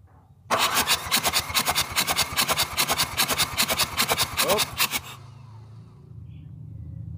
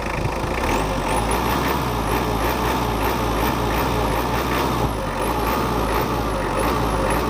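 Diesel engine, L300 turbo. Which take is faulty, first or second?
first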